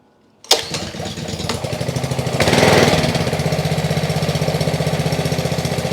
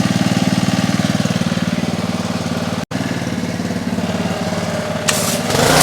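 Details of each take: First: Trash-picked Ryobi RY80940B 3100 psi pressure washer (Jan 2018), Honda GCV190 engine, first pull-start on choke with fuel and oil: fast uneven chuffing idle that won't smooth out; owner suspects carburetion issues, carb to be cleaned. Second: Trash-picked Ryobi RY80940B 3100 psi pressure washer (Jan 2018) with Honda GCV190 engine, after carb cleaning, warmed up: quick even single-cylinder beat, no misses or rattles; works fine, no water leaks.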